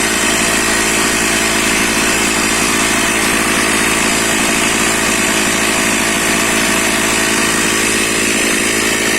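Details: Stihl MS460/461 chainsaw, cold start after refilling petrol mixed at 20 ml oil per litre, started on choke with full throttle and decompression switch: steady high-pitched two-stroke buzz holding even revs without stumbling or surging; runs cleanly.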